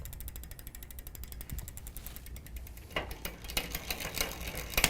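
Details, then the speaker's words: Huffy multi-speed bike after loosening the low gear limit screw: fast even chain ticking, then sharper clunks as the derailleur now engages first gear shifting down and back up. "shifting down and shifting back up all right so we got it to engage there"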